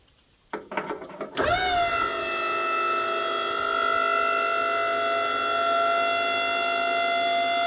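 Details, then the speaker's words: SureTrac 12,000 lb dump trailer hydraulic pump, raising a loaded bed after a washer was tightened at an earlier leak. Spins up to a clean, steady whine under lift with no airy gurgle; fluid dropped slightly, and the pump operates normally. "sounds good going up fluid went down about a/ qu inch"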